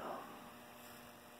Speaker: So there, we just got a click. Right there's a heater and no blower. you can hear the hum of the heater back there. So that set of contacts has malfunctioned also.